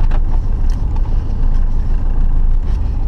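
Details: Samara four-cylinder petrol engine right after an oil change, oil pressure light gone out: steady, even low rumble at idle with no knocks or misses; normal idle.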